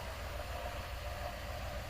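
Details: 1997 Dodge high-roof van, 360 V8, automatic, just started after sitting about 5+ years: steady even low rumble, no misses, knocks or surges; normal idle.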